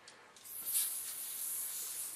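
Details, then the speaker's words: Old Master Ultra Torch butane torch with a cracked fuel tank that won't hold pressure: steady high airy hiss as butane leaks out right after filling. "just put a little bit in there, you can hear it hissing."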